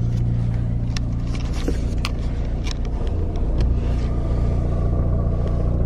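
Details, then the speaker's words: MK7 Golf R at idle with the clutch pedal released, after a new stiffer clutch was fitted; a fine, light rattling chatter under the idle from gearbox gear rattle, not the clutch, possibly reduced by thicker transmission fluid. "like sitting here at idle you can hear it just a little bit but it's not bad at all"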